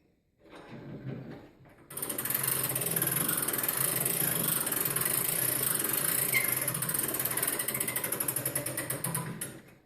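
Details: Longcase grandfather clock by John Owen, 1765, with rolling moon, being wound: the weight is nearing the seat board, so winding slows as it nears the top. Steady, crisp ratchet clicks, about three or four a second; normal, healthy winding.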